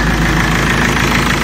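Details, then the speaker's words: Mercedes W203 engine started after a temporary wire bypassed the broken cable behind P1636, the radiator fan running full speed at ignition. Steady, even idle with a smooth low hum, no knocks or misses; the fan no longer roars, so it runs normally. "Le résultat est que le câble a une rupture"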